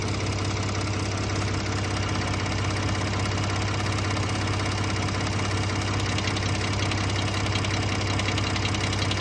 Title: Ford F-150 3.5L Eco Boost Ticking/Rattling. Phaser Rattle? Sound is intermittent. Not on start up.